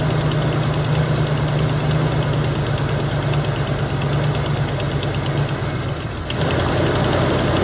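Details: 1977 Chevy Camaro, 305 V8, parked almost 20 years, restarted after gas poured into the carburetor float bowl and a ground reconnected: steady low rumbling idle with a fairly even beat, no knock or miss; normal idle.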